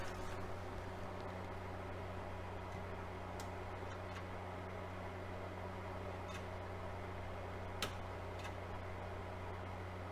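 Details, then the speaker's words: Technics SL-B30 turntable running without a stylus during speed and auto-return checks: steady low hum with a soft whir, no clicks; an unidentified mechanical noise seems to come from underneath the platter. "now it sounds like the noise is coming from underneath the platter"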